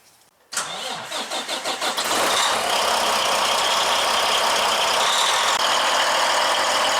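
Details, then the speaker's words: Heavy-duty truck diesel after a fuel filter replacement and priming of the fuel lines with the primer pump: several quick cranking pulses, then it catches within two seconds and settles into a steady, even idle. Clean start, normal. "Looking and sounding good."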